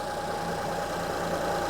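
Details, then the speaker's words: 2005 Honda Odyssey with a flashing check engine light, misfire codes and severe shaking, idling: uneven, lumpy beat under a steady hum as one cylinder drops out. A scope shows the cylinder 3 ignition coil is bad; the fix recommended is replacing one coil. "okay so bad ignition coil yeah so this so the third ignition coil is bad I'm going to recommend replacing one ignition co"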